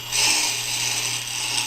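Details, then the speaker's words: Tormek T-8 sharpener, brand new grindstone being trued with the truing tool: high, gritty scratching comes and goes over a steady motor hum as the tip contacts only high spots; stone out of true. "this is a brand new Grind Stone so you can hear it making intermittent"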